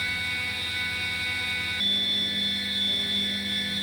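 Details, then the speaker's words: Langmuir MR-1 CNC mill profile-finishing a V block with a 3-flute carbide end mill (just over 40 mm length of cut) at 300 mm/min feed: loud steady high-pitched screech shifting pitch partway, machine vibrating intensely, end mill chatter leaving poor finish. "Turns out, the machine has a guilty pleasure. That pleasure involves vibrating intensely when set to a feed rate of 300 millimeters per minute."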